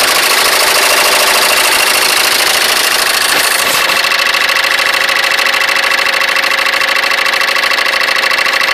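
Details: Citroën C3 engine with a fast, regular light ticking, about three per second, over a steady idle; the source of the noise is unclear without further checks.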